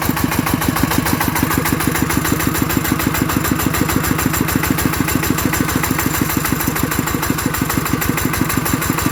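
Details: Kubota ET110 single-cylinder diesel after rebuild for an abnormal knocking noise, steady evenly spaced thumping at regular idle with no knock or clatter; judged good, normal running.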